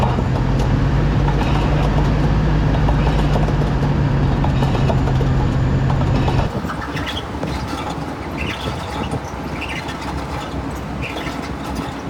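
Steady low hum under the road noise while cruising, then it drops away as speed changes; fits a worn wheel bearing.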